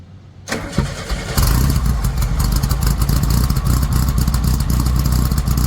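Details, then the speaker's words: VW Squareback with the quiet pack replaced by a welded Dynomax race bullet muffler and 2.5-inch elbows, leaks fixed: a deep, loud, throaty exhaust rumble settling into a steady idle with no ticks or knocks; healthy, free-flowing exhaust. "oh yeah that's I'm going about I like it a lot"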